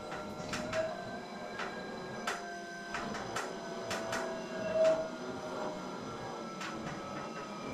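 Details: Wahoo KICKR Bike indoor trainer: sharp, irregular creaks and clicks over a faint steady whir; creaking noise reported to the manufacturer.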